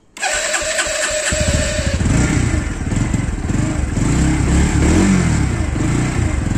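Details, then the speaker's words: Bajaj Pulsar NS160 at about 23,359 km, which also shuts off by itself about 30 seconds after starting. On start it settles into a rough, uneven idle with an irregular clatter; owner was told the engine timing may have changed. "So మీరు sound వినొచ్చు sound లో కొంచెం తేడా వస్తుంది cut"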